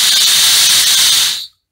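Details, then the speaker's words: Turbotorch P250-500 nitrogen regulator after rebuild with a repair kit (it had been leaking by), pressure cranked up or down: steady high hiss of gas for about 1.5 seconds, then a clean shutoff; no leak-by, regulating normally. "it's already a win because it's not leaking by with the thumb expiry out pick it up or crank it down as we like"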